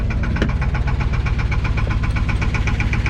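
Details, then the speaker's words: Abandoned 1984 Chevrolet K30 1-ton with a 454 big-block V8, inspection cover off, about 7 psi oil pressure: sharp steady knock around four beats a second over a deep idle, rod knock; engine judged cooked. "yeah you hear that that's more annoying than an oil fan like can you wag your tail to the w w w w w to the rod knocking"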